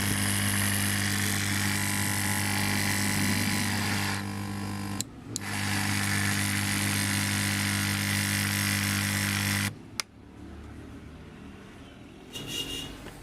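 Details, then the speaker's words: Gas compressor (3000 G part) running: loud steady humming drone with fast even pulse, cutting out twice, far noisier than it should be; fix is opening both side covers and checking the inner magnet. "यह आवाज बहुत कर रहा है इतनी आवाज है कि मतलब बदा बाहर है"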